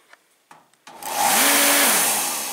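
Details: Torpedo diesel heater fan motor after replacing the exploded start capacitor: a few light clicks, then spins up within half a second to a steady even whir in the right direction; normal clean start.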